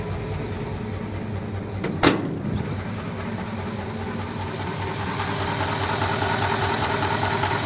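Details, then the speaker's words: Rebuilt Ford flathead (59A) in pickup, old parts except new pistons, air filter just fitted, slightly smoky: soft even idle, steady low rumble, light mechanical chatter; smooth, reasonable motor. "nice and smooth really it's a little little bit of mechanical noise but you know those are all old Parts nothing was brand new in it except the Pistons"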